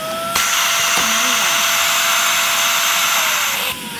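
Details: Shark vacuum with a clog, running after debris was pulled out: loud airy roar with a thin, steady whistle on top. Airflow is choked, and the blockage is found in the long wand.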